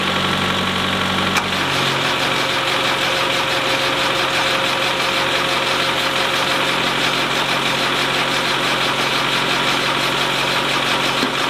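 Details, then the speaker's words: Land Rover 90, naturally aspirated diesel, not started in 8 years, in cold snowy weather on the last battery: after a stumbling catch it settles into a rough, uneven clatter with a light knock; it only partly started. "well that's it it sort of started ish a little bit"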